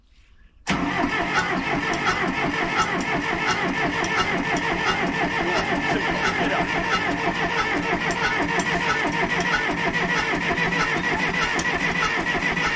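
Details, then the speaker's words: Case 188D tractor diesel, first start attempt after a complete engine rebuild, with good oil pressure: long steady cranking with an even chug about three times a second that never fires; owner suspects air in the injector lines and plans to bleed them. "well we've got good oil pressure but as you can hear it's not really firing I think I better crack the injector lines and bleed them"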